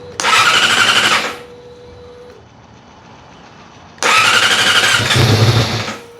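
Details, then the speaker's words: 2006 Yamaha R6 on the first start after sticky-throttle repair, with throttle body work and the throttle position reset. Two short bursts of fast cranking and it never fires. Fuel probably just needed to reach the line. "something's not right. Just needed to put a little bit of fuel through the line probably."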